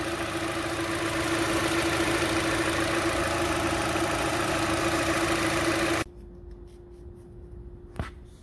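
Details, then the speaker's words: 2012 Hyundai Elantra idling after an engine flush and a first oil change to 4.2 quarts of full synthetic: smooth, even mid-pitched hum with no knocks or ticks; sounds healthy and noticeably different. "josh you ready to motor up let's do it let's see what she sounds like come on over take a listen sounds so much different does it yeah for sure"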